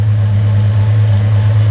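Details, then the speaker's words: VJ Dodge ute idling on a new custom two-inch exhaust with a proper muffler and new hangers, after a front suspension rebuild. Deep, steady, even rumble with no misses or rattles; the tone is expected to change slightly as the exhaust packs in. "it doesn't sound too bad so once it's driven for a little while uh the exhaust will sort of pack in a bit and um yeah she'll she'll change tones slightly"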